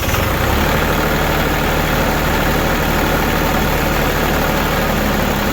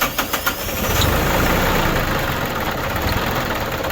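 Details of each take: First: New Holland Boomer TC25D diesel tractor, engine still fairly warm on a 12-degree day, started after a fuel filter change: uneven, labouring rumble that sags and stalls because of air in the fuel system, needs bleeding. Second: New Holland Boomer TC25D diesel tractor after a fuel filter change and bleeding air at the bolt: a few quick cranks, then it catches and settles into a steady, even run, starting cleanly and staying running.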